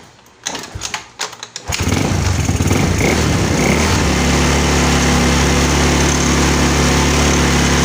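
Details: Yamaha Mio scooter with a hard-starting complaint: a few throttle blips, then the engine settles into a steady, even small-engine putter with no misses or knocks; normal idle.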